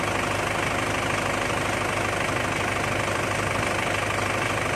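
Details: Pickup idling with steering turned after greasing the suspension ball joints that clunked when turning: steady low engine pulse, no creak or groan; noise fixed without replacing parts.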